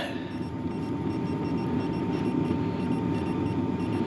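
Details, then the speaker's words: BougeRV diesel heater running on low at about 20°F: steady low hum with a faint quick even ticking of the fuel dosing pump working normally. "You can hear that fuel pump pretty good."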